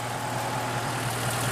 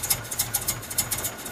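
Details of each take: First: Wood gasifier-fuelled truck engine after fine-tuning gasifier airflow: steady even idle with low smooth hum and no misses or knocks; running cleanly on wood gas. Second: Truck running on a homemade wood gasifier, just after start-up: uneven surging chuffs with a rattly hiss, rough struggling idle; owner suspects air starvation.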